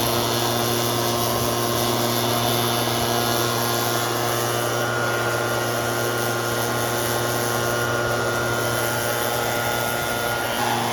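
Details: Red Max EBZ7100 two-stroke backpack blower, rescued from the dump with its missing fuel lines replaced and carburetor repaired. A steady, even roar at constant high revs with a strong airflow hiss, running smoothly without surging or missing; healthy.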